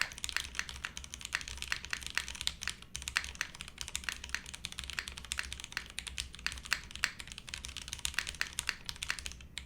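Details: Monokei x SingaKBD Jaguar TKL, o-ring mount, TTC switches, PBT keycaps with flipped spacebar. Steady flurry of crisp, even key clacks at quick typing pace, no rattles or pinging; poppy, clacky board sounds healthy.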